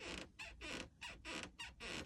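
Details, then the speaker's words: 2012 Thor Majestic Class C motorhome cab-over area: sharp squeaks as the panel is pressed and released; owner suspects backed-off screws letting sheet metal press the foam. Cause not confirmed. "And then in conjunction with that, these Class Cs are notorious for having the squeaking sound up here"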